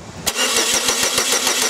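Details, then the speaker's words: 2002 Chevy Cavalier with no scan-tool communication with the PCM and no check-engine light: steady starter cranking at about seven compression beats per second that never catches, and no spark jumps between the GM coil towers. Crank, no start, no spark. "there is no spark coming from these towers at all granted you could have one tower that's sorted and that's causing that condition but the car is not even trying to start"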